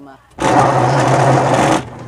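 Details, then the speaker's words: Washing machine noisy when spinning; rough humming rumble holds over a second as the drum turns; worn, rusted drum bearings, to be replaced. "problema nian mga guys so ang sira nito is bearing kiss"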